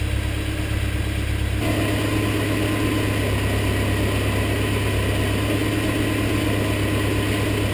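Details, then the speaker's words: BMW E30 with M42 four-cylinder, warm idle after running at medium-high revs to bleed hydraulic lifters that had been ticking after sitting: steady, even idle with a low hum and no lifter tick. It sounds better and healthy. "all right so that's what the car sounds like right now I'd like to say that it sounds a little bit better than last time having now that I've let it warm up and get some oil through it"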